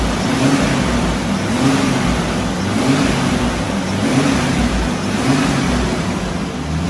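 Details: Restored Jurassic Jeep #73 engine during 20–30 minute break-in on first run after reassembly; revs repeatedly climbing and dropping about every second, clean and smooth, no knocks or misfires: normal.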